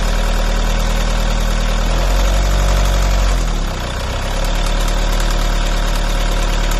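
Engine idles with an uneven tapping about three or four times a second and a brief rev dip; the source is unclear.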